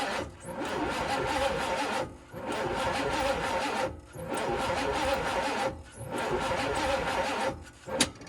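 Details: 1980 Pontiac Grand Le Mans small block with headers, on a better battery. Starter cranks in bursts of about 1.5 s with pauses and the engine never catches. Not enough battery charge; owner suspects timing is out, distributor loose and turned.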